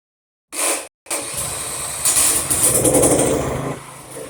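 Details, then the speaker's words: PowerMate tiller that wouldn't start, after cleaning debris from carburetor bowl and refueling, started by spinning the 15/16 nut clockwise with a drill instead of the pull cord: short crank burst, pause, then catches and runs evenly; clean start. "There you go. That one's got me out of a lot of jams by starting them like that."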